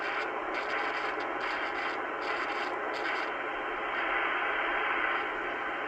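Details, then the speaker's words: 1980s ham radio speaker hissing and crackling from a scratchy, noisy double gain control pot; cleaned with contact spray instead of DeoxIT. "So this can be kind of controversial, I guess, but this is what I do with scratchy, noisy pots."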